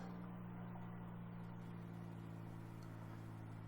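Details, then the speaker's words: 3500 truck after fuel filter replacement, ignition on engine off, cycled five times: faint steady electric hum of lift pump priming normally then shutting off, amid dash chimes. "so you turn it to run you listen for the pump to run and then shut off which is really annoying and hard to hear with all the stupid dinging going on in here"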